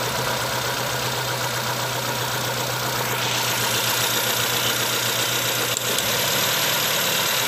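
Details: 2010 Nissan Latio at idle: uneven running with a regular stumble, engine misfiring; pulling coil four barely changes it, so cylinder four fires and the fault is suspected at the coils or plugs.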